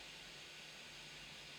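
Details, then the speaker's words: 3D printer (Prusa-type i3) switched to silent mode mid-print, fitted with printed cable chains: soft steady fan hiss with almost no motor noise, barely audible from beside it; normal running. "yeah in silent mode the vast majority of uh vast majority of the noise is the freaking fan but there you can see I I can barely hear it"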